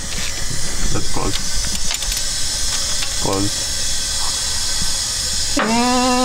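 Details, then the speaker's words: Engine leak-down test, engine off: steady rushing hiss of air escaping out the exhaust with valve shut, air should stay in cylinder; exhaust valve leakage, hoping not broken pistons. "yeah it's coming up the exhaust too where the valve's always shut all the yeah look at the back air should stay in the cylinder and you shouldn't hear any leaky"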